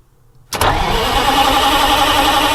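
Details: 8V-71 Detroit Diesel with a newly fitted starter (part 6924N): quick, even cranking whir from the first moment with no grinding or clicking. The new starter spins the engine briskly and cleanly.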